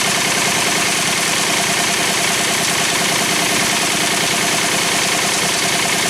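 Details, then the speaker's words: 3rd-gen Pontiac Firebird with a freshly rebuilt 1985 Quadrajet carburetor, stock valve cover refitted and the rocker noise gone. At steady idle a fine whirring chatter persists from the serpentine belt drive and disappears with the belt removed. The owner can't yet tell which accessory. "That noise right there, still there, but it's gone as soon as I take off the serpentine belt. I'm still not 100% sure which one it is, which accessory it is."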